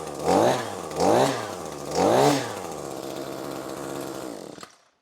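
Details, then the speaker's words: Echo SRM-2620T two-stroke string trimmer on 50:1 mix, two years of daily use with no maintenance, had run rough and lost power; after cleaning the clogged spark arrestor screen: three crisp blips back to steady idle; problem fixed. "so yeah absolutely fixed our problem so just a simple screen exhaust screen cleaning or a spark arrestor screen as they're also known"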